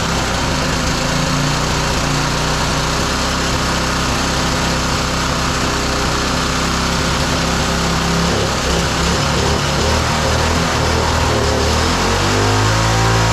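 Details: Roadside-salvaged small single-cylinder lawn mower engine for the Tommy Gun mini bike, on a fresh carburetor with choke off; it holds a steady, slightly uneven buzzing run with no clear fault yet, before a spark plug change.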